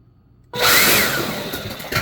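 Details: Ryobi leaf blower: sudden rush of air with a high motor whir that spins up at once and holds fairly even; normal running.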